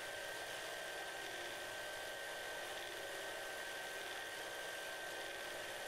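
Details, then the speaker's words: Lubricant friction test in a lathe with two short steel rods pressed together under fully oiled conditions: steady, strained hum with a thin high whine as the shaft slows under increasing pressure without seizing; spindle bogging under friction load. "as we continue to apply pressure the shaft continues to slow now we can't apply enough pressure to actually cause it to seize at this point the oil is doing the best it can hear how slow the shaft is at this point"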